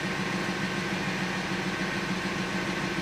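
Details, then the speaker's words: Abandoned Audi Q7 with suspected air suspension fault, raising height via dash setting: steady even electric pump hum, no knocking or grinding; compressor raises car to correct height and shuts off, working fine. "it's definitely i mean it's definitely gone up it's quite high so the pump just knocked off it's at the correct height so that's working fine"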